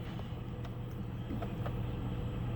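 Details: 2006 Chevrolet Trailblazer after replacing cylinder 4 ignition coil for misfire (plugs not changed): steady even low idle rumble with no stumbles or skipped beats; running smoothly on all cylinders.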